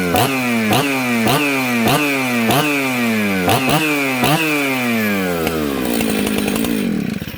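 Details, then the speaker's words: Jonsered 630 Super / Husqvarna 266 mixmaster chainsaw: crisp two-stroke revs rise and fall sharply about every half second before it dies. It idles well and restarts, a healthy snappy saw, though the kill switch is broken. "this thing's snappy that's a good run and saw"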